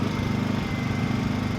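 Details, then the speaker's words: Six-year-old Honda EU2000i generator on Eco throttle running a window air conditioner on high: smooth, even drone with a steady beat and no hunting or knocks; healthy under load. "you can even turn this on Eco throttle with that air conditioner on high and it's still just running just to smooth"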